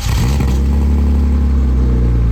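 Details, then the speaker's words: BMW E36 328ti Compact first start with new budget exhaust, bolt missing at header connection: loud, rough low idle with raw unmuffled puffing edge, quieter than before but audible exhaust leaks. "the car is definitely quieter doesn't sound good but it's got an exhaust now you can definitely hear the exhaust leaks"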